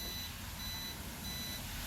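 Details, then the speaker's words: Mercedes W211 E-Class after replacing the alarm siren, whose leaking backup battery caused parasitic battery drain; on locking, the indicator flashes and three short, evenly spaced high beeps sound, then silence; siren chirping normally. "Okay, so when you open it, the alarm beeps once."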